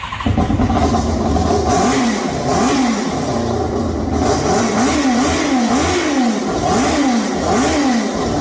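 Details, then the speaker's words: Formula 4 race car after fuel-leak fix, very loud: crisp throttle blips rising and falling repeatedly, clean response, even running with no misses or stumble; normal revving. "That thing's like crazy loud. Yeah, that's the way you think. I think it's awesome. Okay, so we're about to share the sound of an angel with you right now."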